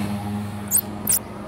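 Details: Mitsubishi 4G15/4G13 (Proton Wira) engine at start: two sharp mouse-like chirps over quiet idle, lasting briefly at start or when pressing throttle; belt squeal from loose or worn belt, air-con compressor belt found slack.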